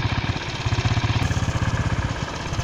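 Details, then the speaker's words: Honda Pop 110i after replacing weak cam chain area spring with stronger one (previous loud top-end noise), started after a week parked: even putter, no ticking or rattle from the top end; normal idle like new. "o barulho era praticamente nesse local aqui, ó. Fazia bastante barulho. Agora tá o barulho normal do motor."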